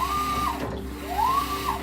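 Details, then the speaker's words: GE top-load washer after the fix (front raised and leveling screw turned, no parts): smooth motor whir rising and falling with each agitator stroke, the previous loud grinding gone. "it's fixed now i'm gonna put the door on and make sure that it still works but so far it is so nice to have this working without the grain sound"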